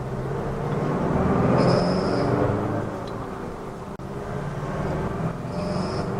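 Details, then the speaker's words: High-kilometre diesel in second gear at fairly low rpm, full throttle: it pulls hard with short high-pitched squeals under load, not the turbo. "this noise happens at under acceleration particularly a higher gear with your foot flattened a key to the floor so we'll check it out"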